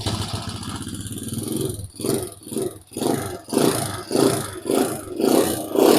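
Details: Chinese Ryuka motorcycle after timing chain and sprocket replacement and valve readjustment: throttle blips rising and falling with no sharp ticking; valve noise quieter than before, normal valve train.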